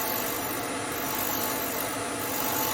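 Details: Hope Woodturning MK2 threading jig, router at 3000 rpm making a further pass one click deeper in beech: steady high motor hum with even cutting hiss, no chatter or bogging; normal thread cutting.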